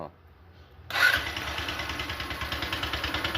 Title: #Gy6 hard start